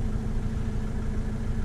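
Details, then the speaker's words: 2005 Vauxhall Vivaro 2.5 CDTI after new EGR valve and oil change, previously in limp mode with black smoke: even, low diesel rumble holding steady without misses, knocks or hunting; turbo spooling nicely, healthy idle. "yeah so I think yeah the turbo sounds good as well the I was a bit concerned about the turbo but the turbo is sounds like it's spooling up nicely"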